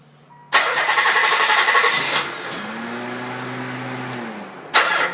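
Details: Nissan Z, first start after installing a 120 kit and redoing the timing belt (loose pulley let the belt rub the back cover): catches at once, steady even idle with a smooth hum, quick blip at the end; healthy start.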